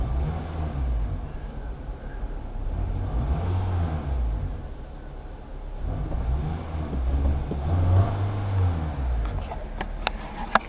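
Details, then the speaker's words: 2007 Pontiac Vibe right after fuel pump assembly replacement (had intermittent hard starting), key cycled to build pressure: engine catches as fuel comes up, then low steady even idle with no misses or knocks, no leaks; normal idle. "There she goes. Yep. She just had to pump fuel up. Still trying to get fuel up there. There she's going."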